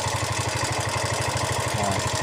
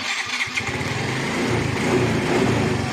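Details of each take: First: Yamaha Mio i125 scooter engine idling with a steady low pulse and a loud busy clatter over it; noisy engine at idle. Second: Yamaha Mio i125 scooter catches and settles into an even, steady idle with no tapping, rattle or chain clatter; it sounds healthy.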